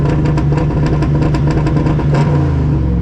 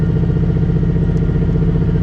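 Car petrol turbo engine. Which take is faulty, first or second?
second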